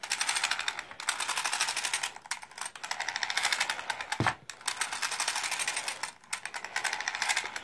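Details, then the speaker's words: RC Slash (38/36 gearing) set on the floor with the front end free-spun by hand: rapid, even clicking with a dry grinding edge in bursts. The noise gets louder with the motor running; owner fears a bad front differential. "I want you guys to hear the grinding or the clicking that I hear in my front end when you free spin the car."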